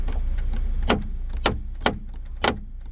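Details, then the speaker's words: 2017 Kia Sportage EX panoramic roof, rear glass motor, headliner removed, closing the glass: sharp, irregular cracks about every half second over a faint motor hum. Worn motor gear teeth are skipping, and the glass won't close fully. "try to close it you can hear how it's cracking and feels like it's skipping feet"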